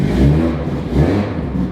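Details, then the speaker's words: Nissan R32 GTR first start after maintenance with new ID 1700 injectors, power steering rack and pump: crisp even revs rising and falling cleanly, no misses, knocks or rattles; sounds healthy, even healthier than before. "it sounds really healthy actually like even healthier than previously which is really good"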